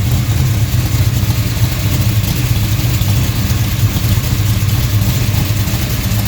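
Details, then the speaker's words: DCI Motorsports 535 RA5 tunnel-port pump-gas engine, about 850 hp, all-aluminum, port fuel injection, cam 250° at .050 on 118 LSA, cold shop: deep, heavy rumble with an uneven pulse idling around 1,000 rpm, normal lopey idle. "Cam's still got a little bit of overlap. You can hear it's got a decent idle to it. Again, it's idling around 1,000 RPM."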